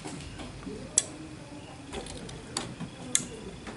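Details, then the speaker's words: Welding machine delay relay repaired with a 313 transistor in place of the IRF and optocoupler, on a 24 V supply. Over faint hiss, sharp single clicks about two seconds apart show the relay pulling in properly after its delay. "Jadi ada hidup sebentar, berjeda, teman ya."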